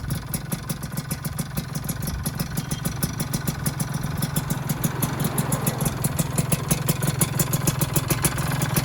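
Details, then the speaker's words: Freshly assembled two-stroke motorcycle engine first run, RTX premium exhaust, box filter: fast light click-click ticking at idle and off-throttle, gone when revved; owner suspects loose pistons, may fade once warm, else a polished Rico piston; ticking at idle. "Dikit sih ini sebenarnya, kalau di gas tuh hilang suaranya, cuma kalau di pas turun gas atau langsam ada klik klik klik klik klik klik klik klik, klik bunyi gitu."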